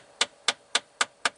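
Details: 2012 Jeep Patriot, about 126,000 miles, engine on, blower on lowest in fresh-air mode: sharp, evenly spaced clicks about four a second under the dash; recirculation door actuator gears skipping, fixed by replacing actuator.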